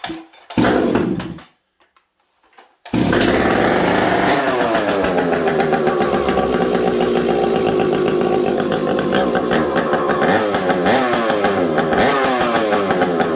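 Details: Husqvarna 372XP chainsaw with bolt-on UFO muffler, very cold winter; fires up and revs hard with brief dips in pitch, a stumble from the low-speed jet set too lean, not the pipe.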